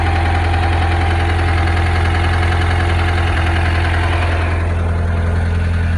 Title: Rod knock or pushrod slap ..?